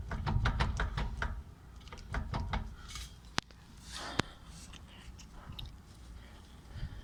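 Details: 1993 BMW E36 325i with manual transmission, non-LSD 3.15 diff, 170,000 miles: hollow metallic knocking rattle over a low rumble, in neutral and in drive, clutch in or out; center bearing and guibo already replaced; owner suspects driveshaft, U-joints or differential.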